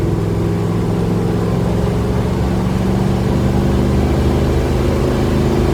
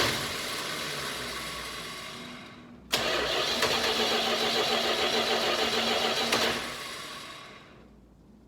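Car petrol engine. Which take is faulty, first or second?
second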